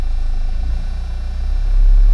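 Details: 2004 Toyota Corolla 2.0 D4-D diesel, warm, with ventilation off: a deep, throbbing low-rpm vibration that fades above about 1500 rpm. Source unidentified; the OBD light had been reset, and the idle also rises on its own with A/C or heating.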